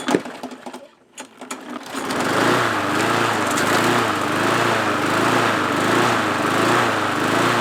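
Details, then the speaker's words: MTD mower engine still surging, its buzz rising and falling about once a second, after a new governor spring, engine restorer, MM oil and a new O-ring; owner suspects a flywheel key problem putting it out of time; blade adapter found slightly cocked. "So it still has the issue, but I'm suspecting now that we might actually have an issue with the flywheel key. It's almost like it's not in time."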